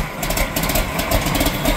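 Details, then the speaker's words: John Deere 4440 diesel tractor, barn find, started for the first time after sitting about 12 years, with new batteries and fuel of doubtful quality. Steady, even clatter with a deep low thrum and no stray knocks. Normal idle. "that was easy wow it started right up for sitting for 12 years that's great great news"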